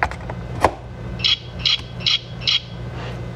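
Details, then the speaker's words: Mercedes W204/W207 steering lock (ESL) emulator with ignition switch, not yet coded to the vehicle: four short high beeps about 0.4 s apart on key insertion, meaning the emulator is not programmed. "it beeped four times four times means that it's not programmed"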